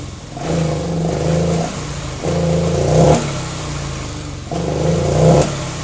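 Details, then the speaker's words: Honda Vario 125/150 injection scooter: three throttle blips, each rev rising roughly then sagging, hesitating and not wanting to go; suspected dirty throttle body, air filter or fuel delivery, unconfirmed. "Yes, when the gas is on, this motor sucks and doesn't want to go."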